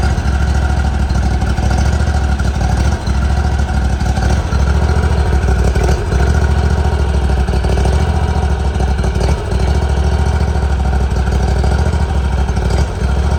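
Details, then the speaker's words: 2018 Hustler Raptor SD mower, Kawasaki FR691V V-twin, just after head gasket and valve seal replacement, shroud off, choke backed off: steady even low thump at warm idle, no misses, knocks or ticks; healthy. "there it is going to let it Dole here a second big the smoke a little bit turn off some of that running"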